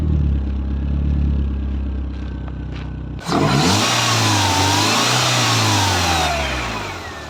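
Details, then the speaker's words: BMW E36 after replacing accessory belt parts to cure a loud clacking: steady, even idle with only a faint power-steering pump whirr and no clacking from the belt side; engine sounds healthy. "là on entend bien que le moteur quoi on entend quand même la pompe de DA mais ça c'est normal et sinon c'est nickel"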